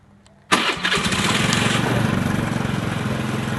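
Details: Automatic scooter being checked for a no-start, started using the right brake lever, whose switch tests good; the left brake switch is faulty. The starter catches instantly and the engine settles into a quick, steady idle with no misses. Healthy start.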